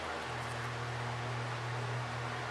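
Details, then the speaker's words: Antique Century ceiling fan with blades on, after cleaning gummed lubricant from the shaft and oiling the bearing, running on low: soft even hum with no rubbing or ticking, very smooth and quiet with no bearing noise. "this one is very smooth and quiet I don't even hear any bearing noise"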